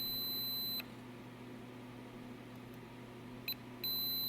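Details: ALR PowerFlex 386 PC motherboard, battery-corroded traces: high steady beep cuts off, chirps, resumes when corroded connections are touched; likely open via causing floating address or data line, suspected not confirmed; erratic beep pattern.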